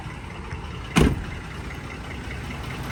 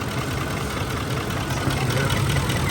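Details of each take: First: Ford F-150 5.4L V8 idles low and uneven with a lumpy, stumbling beat after a single thump: cylinder 8 (bank two) misfire, with power loss, heavy shaking and raw fuel smell from the exhaust; suspected plug, injector or coil. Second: Ford F-150 5.4L V8 on a road test after replacing cylinder 8's ignition coil, which cured a misfire with power loss, heavy shaking and a raw fuel smell; after about 20 minutes of driving it runs very smooth and even.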